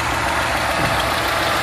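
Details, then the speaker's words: Audi A3 1.8 20v engine idling during service: rough, uneven, lumpy idle with heavy vibration, as if running on three cylinders; cylinder 2 not burning fuel due to bad piston rings, compression test under 5 bar. "o motor está vibrando muito aí como se tivesse funcionando apenas TR cilindros que no caso seria o cilindro número do que não está ocorrendo a a queima do combustível"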